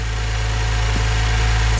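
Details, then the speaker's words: 2010 Holden VE SV6 3.6 SIDI V6 first start after timing chain and oil pump replacement, oil primed by cranking: smooth even idle with steady low hum, no ticking or rattle; running better than before. "Let's uh go for start go and put the fuse back in and she's running just gonna let it run for a while"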